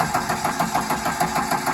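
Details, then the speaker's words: Liebherr loader with a Deutz diesel, no start: the starter churns in an even beat, about six compression pulses a second, but the engine never fires. The cause was a failed electromagnetic solenoid controlling the fuel rack on the injection pump. "Видим то, что у нас с одной форсунки только идёт топливо. Там специально их нет. Запустился наш двигатель."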